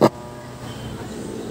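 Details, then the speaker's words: Sakura AV-325 amplifier, Bluetooth-converted, about 4 years old: a steady loud hum between clicks with no sound at all, caused by 23 V DC on both channel outputs; a transistor was previously replaced. "So chinck ko merong DC out na 23. Sa kabila 23 din. Kaya pag kinabit mo yung speaker diyan mga boss, malakas yung ugong. Ugong lang maririnig mo."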